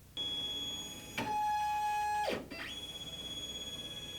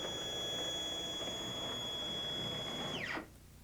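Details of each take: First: Stepcraft 2 840 desktop CNC, NEMA 17 steppers, first-time setup, binding on the Y and X axes: steady high whine drops in pitch and stutters roughly every four seconds. Axis binding; fix is alignment by loosening the front and back plate screws. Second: Stepcraft 2 840 desktop CNC, NEMA 17 stepper motors, at 100% jog speed: clean, steady high whine holding one pitch through the travel, then dropping away as the axis stops. Normal stepper operation.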